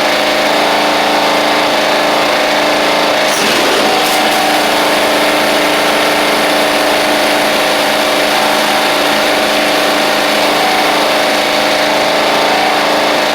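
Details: Toro Proline walk-behind mower, Kohler Command engine, sat unused April to November, blade missing: steady, even hum with no misses or surging, running smoothly.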